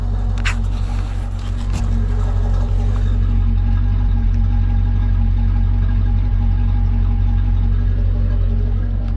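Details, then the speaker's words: LT1 Caprice 9C1 V8 after water pump and stock Optispark replacement and radiator hoses, engine not yet hot, coolant being checked: deep even idle rumble, steady beat, no hesitation or skipping, sounds decent, normal idle. "I think that's good sounds pretty decent that sounds pretty decent"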